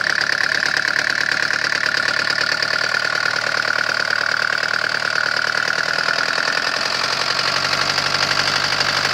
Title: Стук двигателя om601.970